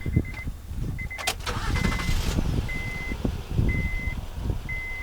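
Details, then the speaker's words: Honda Accord still misfiring after another shop's tune-up with mismatched aftermarket coils: engine cranks, catches, then idles with an uneven, lumpy beat over a repeating chime; one cylinder is missing, later found to be spark-related. "But it's still missing. You can hear it."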